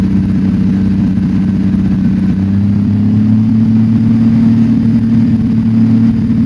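Engine holding a steady idle with an irregular beat and uneven pulses, the kind of stumble a misfiring cylinder gives.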